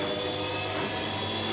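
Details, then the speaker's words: Zanussi/AEG/Electrolux washing machine in diagnostic spin test: after draining, drum ramps 200–500 to a balanced 650 RPM; steady, even whirring hum with no knocking or scraping, normal balanced spin. "As soon as we get to the minimum water level, the drum should start rotating and it will go up to a balanced 650 RPM and then it will accelerate up to a roughly 1,400 RPM."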